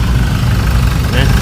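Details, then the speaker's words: 2012–13 Chevrolet Colorado diesel after its injectors were tested and recalibrated and the ECM codes cleared, just started: it fires easily into a steady, low rumble with an even beat and no knocking. Normal idle. "เอ้าสาร์ทอุ้ยโอ้ติดง่ายเลยชึ่งเลยนะครับตอนนี้สตาร์ทออกมาเดินนิ่งนะ"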